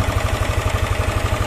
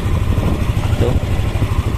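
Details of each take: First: Yamaha N-Max with a rough top-end noise suspected at the cylinder head, checked by screwdriver with the cam chain tensioner plug removed: fast, even tapping of about ten beats a second at idle. Valve clearance tick; valve settings need resetting. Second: Yamaha NMAX scooter after top-end work for rough, ticking cylinder-head noise, tensioner hole closed: low, even idle with a steady thrum and no ticking, valvetrain now quiet and healthy.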